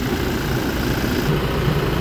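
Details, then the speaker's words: 2019 Toyota Fortuner diesel after EGR valve cleaning for an accelerator delay, coolant being topped up: steady, even, quiet idle with a smooth low hum, no knocks or hunting. Normal idle. "Boss, yan, pinupuno na lang namin ng coolant. Ganda na ng tahimik na tahimik."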